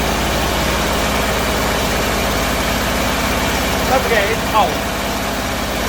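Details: Bedford CA campervan (Rambo) being revived on a freezing −2° morning: uneven, lumpy idle with a loping low rumble and no steady beat; owner suspects too much fuel from somewhere, cause unconfirmed.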